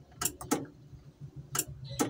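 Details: Hard-starting vehicle with a newly replaced battery that checks OK: the key gives only a few sharp single clicks and no cranking. Owner suspects the starter solenoid.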